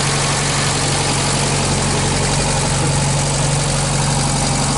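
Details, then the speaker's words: 1965 Australian-built small-window VW Beetle, air-cooled flat-four idling on an old 6-volt battery: steady, even thrum with a constant low beat and no misses or knocks; engine very healthy with only a slight oil drip; normal idle. "Nagyon szépen kekerészik a motor, hogy hagyom, hogy egy kicsit hallgassátok."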